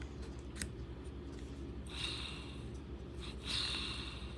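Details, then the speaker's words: Motor from an RC truck, rotor spun by hand: faint spin with brief gritty rasping bursts; rough, failing front motor bearing, while the rear bearing sounds fine. "can you all hear that there you go it's all in that front bearing"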